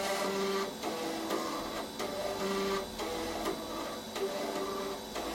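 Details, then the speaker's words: Compaq Proline 4/33 486 PC, unpowered over 10 years, booting with hard drive failure: repeated buzzing head-step bursts about every second with short pauses, never reading. Noisy floppy drive seeking. "That floppy drive is not happy, is it?"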